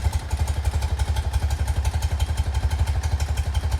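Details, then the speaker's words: 1975 BMW R90S boxer twin after top-end, rod, valve, gearbox and carburettor rebuild, idling cold just after start: even loping thump about three beats a second, no knocks or misses, clock tick audible; runs very well, normal cold idle. "Et elle tourne vraiment très bien."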